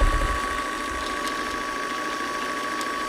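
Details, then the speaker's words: Sewing machine bobbin winder running on a badly wound bobbin: steady high motor whine with loose, uneven rattling over it as the bobbin flops around; noisy but harmless. "so hear the noise that is just the bobbin flopping around it's going to make a lot of noise nothing Horrible's happening"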